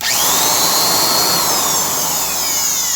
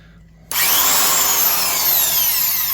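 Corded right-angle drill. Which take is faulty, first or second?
first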